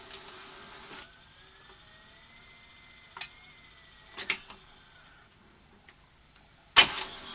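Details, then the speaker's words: Skantic VCR-LP (Philips N1700 clone) video recorder during repair, first tape played: thin motor whine drifting upward between sharp mechanical clacks, then transport cuts out; suspected tape stall. "I think that was a tape stall. Let's try that again. You hear the servos trying to hunt a little bit there."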